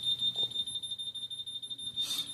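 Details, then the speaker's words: Home alarm panel beeps steadily high-pitched after a wireless window sensor is removed and no longer detected; NOT READY status traced to dead CR2032 batteries, two per sensor, fixed by replacing them. "Now your alarm is going to start beeping because it can no longer detect the sensor at all."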